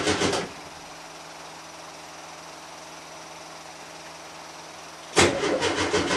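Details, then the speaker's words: Volkswagen T2 van cold start after about five weeks unused: short cranking burst, pause while the fuel pump primes, then catches into an uneven but healthy cold idle; normally needs a few tries and pops from the exhaust. "she normally takes a few times to get started need to let the fuel pump kick the fuel through and it should not be started in a while especially in particular when it's cold you'll hear that pop pop from the exhaust which is why she was named puppy"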